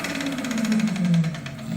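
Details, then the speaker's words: 7x14 two-speed mini lathe with a noisy, weak OEM motor, after cross-slide play was adjusted: motor hum with fast, steady gear chatter about ten clacks a second from the headstock gears; worse in the other speed, gears suspected, unconfirmed. "That's going to be the gears in here. torque now, but a little bit of clack clack."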